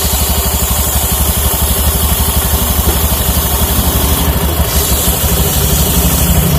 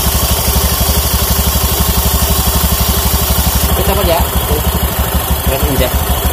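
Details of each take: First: Honda Beat FI scooter: loud idle with a coarse regular rattling beat about three times a second under the engine note; engine complaint fixed, CVT still very rough. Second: Honda Beat FI scooter after CVT service, clutch noise gone: even, steady single-cylinder putter at about three beats a second, no belt-drive rattle; normal idle. Still due cleaning, oil change and injection reset.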